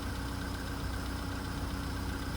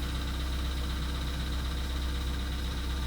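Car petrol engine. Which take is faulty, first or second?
second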